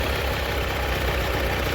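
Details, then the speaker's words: Allis Chalmers 917 Hydro garden tractor after carburetor cleaning: small engine chugs and bogs with the choke on, then runs better with the choke in and throttle working; before, it would only run on choke. "Which now it's kind of, hear how it's bogging down with the choke on. That's good."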